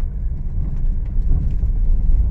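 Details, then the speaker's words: Honda Mobilio test-driven on rough unpaved village road after tightening the loose stabilizer link: only low even road rumble, no clunks or knocks from the suspension; noise gone. "dan udah hilang untuk suara berisik di kaki-kaki mobil Lio ini nih jalannya cukup keriting nih enggak beraspal"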